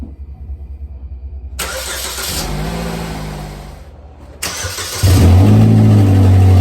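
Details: 2010 Chevrolet Equinox after leaky exhaust replaced with new part, one joint still to weld: engine starts and revs with smooth, deep, even note, no puffing or ticking leaks, much quieter. Normal exhaust.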